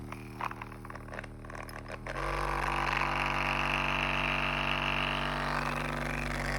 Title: RecoverFun Mini suddenly got a weird rattling noise…